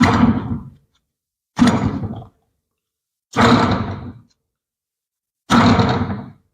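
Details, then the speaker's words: Front wheel bearing removed on its steering knuckle, spun by hand with the microphone right next to it, already rumbling before replacement: four spins each give a coarse, gritty rumble that fades as the hub slows; worn wheel bearing. "Okay, like I said, this bearing was already rumbling even before I recorded the previous video for the channel."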